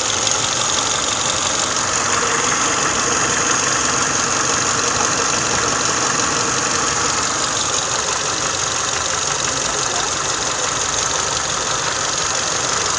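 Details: Engine idle after changing oil to Motul 5W30: steady, even idle with a soft hiss and no top-end tapping; the previous valve knock is gone, valvetrain quiet and healthy.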